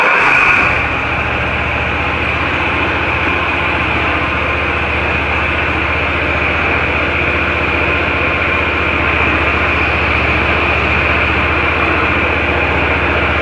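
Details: Ferris IS-3200Z zero-turn mower with Vanguard engine and ZT-5400 hydro transmissions, during the hydro oil purge after an oil change: steady even engine drone with low hum and hiss, no knocks or surging; running normally.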